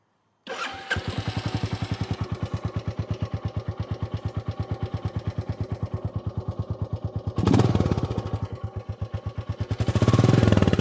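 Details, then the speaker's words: Royal Enfield Classic 350 at about 2585 miles, stock exhaust, valves serviced at first service: starts cleanly, then a steady thumping single-cylinder idle with light even valve ticking, rising briefly with blips; reportedly healthy. "Hear those valves? That's a healthy 350, so I'm told."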